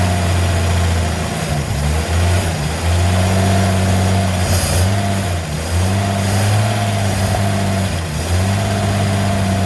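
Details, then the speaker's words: 1954 Chevy, parked originally because the motor wouldn't run, first run after fresh ignition parts including new cap and rotor: low, even idle with a steady rumble and gentle swells; smooth, no knocks or misses. "It surprised me now that it's running. It sounds like it's running very well."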